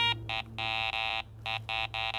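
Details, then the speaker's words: Garrett ACE 400 metal detector (10 kHz) giving its mid tone, five short steady mid-pitch beeps, for a gold ring reading in the 33–75 target ID range. "Mid tone is anything reading from 33 to 75. There's your mid tone sound."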